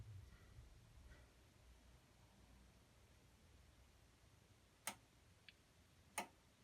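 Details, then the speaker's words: Bosch Varioperfect WAQ283SOGB12 washing machine showing error 43, worn motor carbon brushes suspected; after draining, timer counts 5 down to 1 minute with periodic faint relay/solenoid clicks, near-silent drum, no motor hum, motor not turning. "So it's gone from 5 minutes down to 1 minute, increment by increment, and it's making a periodic little click click noise, as if it's trying to turn on and off."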